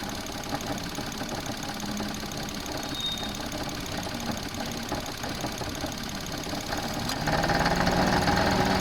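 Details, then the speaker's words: Engine idling with a steady knock that grows louder and heavier as the air-conditioning load comes on; the alternator rocks back and forth under the load because its mounting bracket is broken. "And what you could see in that clip was the alternator rocking back and over as the load mode came on."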